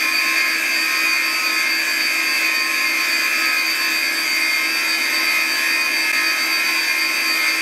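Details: Classic Digital (DEC) hard drive in a special holder, spinning: a steady high-pitched whine with a thin metallic edge; owner questions whether it is supposed to sound like this and considers cleaning it; cause unclear.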